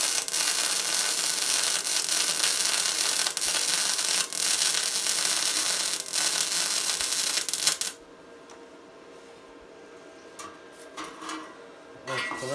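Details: Tesla MIG 260 MIG welder: steady, even fabric-tearing crackle with no loud pops or spatter for eight seconds, then the arc stops; a correctly set welder.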